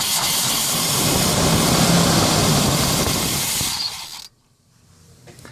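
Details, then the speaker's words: 1990 Chevy 454 TBI V8 in a Fleetwood Pace Arrow motorhome, cold start with starter fluid and weak battery: roars briefly then stalls after about four seconds; pumping the pedal keeps it running. "And then it just stalls out. Sorry, the video for some reason went fuzzy, but it just stalls out, and I can start it with starter fluid, and if I pump the pedal I can keep it going, but it just stalls out."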